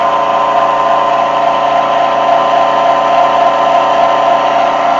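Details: NordicTrack C2300 treadmill after replacing the rattling front roller and readjusting the belt: steady even hum with a constant mid-pitched tone, no rattle or knocking from the rollers; runs smoothly.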